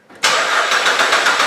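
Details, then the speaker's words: 2008 Suzuki XL7 3.6L towed in, code P0335: steady even cranking, no start; 5 V reference and ground hold but crankshaft sensor signal has the wrong amplitude; short at the crank sensor suspected. "however our signal coming back from the crankshaft sensor is just that it's not reading the correct amplitude chances are we're gonna have a short about crankshaft sensor"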